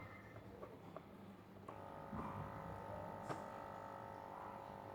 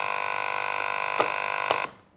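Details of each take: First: Aquarium air pump after repair, reduced from two pump units to one and reassembled: soft steady buzzing hum with no rattle, quieter than before but with weaker airflow. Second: Aquarium air pump running: harsh steady buzz with a hard rattling edge as the vibrating metal armature strikes the plastic housing inside.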